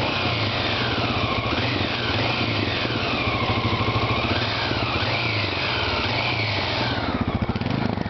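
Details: Honda XL600R engine first start after rebuild: crisp single-cylinder thump rising and falling with several throttle blips, settling to a steady idle; runs healthy.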